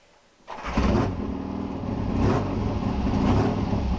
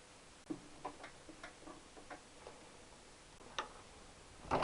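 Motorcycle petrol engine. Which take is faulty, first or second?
second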